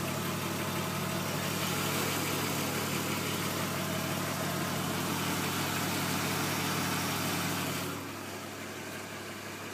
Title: E36 M50B20TU engine knock/rattle 3